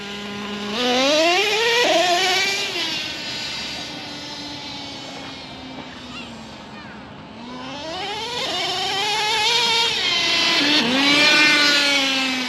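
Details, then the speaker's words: Traxxas T-Maxx nitro RC truck after idle adjustment: crisp high buzz climbing and falling smoothly with throttle, no misses; the motor is broken in and running smoothly. "can really tell the motor is uh finally happy finally broke in running real smooth"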